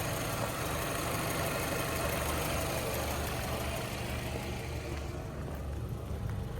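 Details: 2006 VW Golf Plus 1.6 MPI BSE petrol, 75 kW/102 hp, 189,000 km, timing belt replaced at 98,000 in 2015: steady, even idle with a smooth low hum and no knocks, misses or rattles. The engine idles healthily without smoking.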